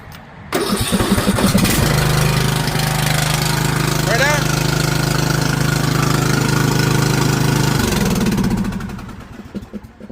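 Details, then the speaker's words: Ariens 20 HP hydro riding mower, model 936056, 46-inch. The mower started getting very loud after a crash. It starts and runs a steady, unusually loud, raspy blat for about six seconds; the muffler was cracked, and replacing the muffler fixed it. "So literally my issue with this thing is it started getting very, very loud, right? So we're gonna start it up really quick just so you can hear it."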